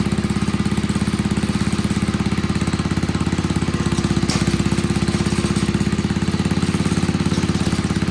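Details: Old Troy-Bilt Pony rototiller, temporary battery fitted, idling on a little fresh gas: small single-cylinder settles into a steady, even putter with a regular beat and no misses; idles cleanly.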